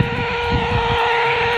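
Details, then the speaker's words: Two 1970s AM American CB walkie-talkies, after repair with all new capacitors and switch cleaner, switched on close together: steady loud tone with rough hiss as receivers interfere with each other, normal. "Because the receivers interfere with each other."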